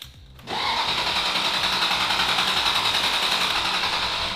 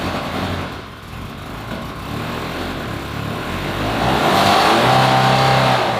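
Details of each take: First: Ferrari 360 Spider, neglected with sludgy oil, cranking with ignition coils disconnected to build oil pressure: even starter whir with steady beat of three or four per second, no odd noises; good compression, oil pressure rising. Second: Ferrari 360 Spider V8, unrun 2 years, after stalling restarts; blipped throttle gives lumpy, uneven beat with engine management light flashing and strong fuel smell, no visible leaks; owner suspects not running on all cylinders.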